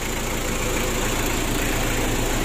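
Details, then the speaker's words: 2017 Mitsubishi L300 diesel, first start after an engine rebuild: smooth, even idle with a steady low rumble and no knocks or misses; oil pressure comes up, no leaks, compression good; normal idle. "untuk mesin L300 nya ini sudah kita hidupkan bosku untuk suaranya juga bagus semuanya aman ya"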